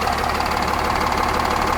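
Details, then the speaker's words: 8.9 L Cummins RV diesel after fuel filter replacement, raised to high idle about 1000 rpm: steady, even idle with uniform low clatter, no misses or surges, earlier hammering gone; healthy. "All right. She's running smooth. I don't hear the hammering."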